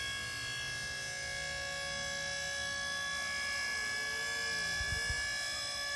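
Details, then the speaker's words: Powered dump trailer electric pump run by remote, raising the bed: steady high pump whine with even hum holding pitch while lifting; normal operation. "And I just keep pressing until it reaches its maximum height, and you'll know that when you hear it kind of click off."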